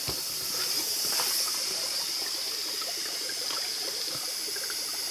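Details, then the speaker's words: Massey 255 tractor, engine off, after hydraulic pump and power steering work: soft irregular trickling and sloshing of water with calcium ballast inside the tires, which is normal. "that means there's water in these tires calcium"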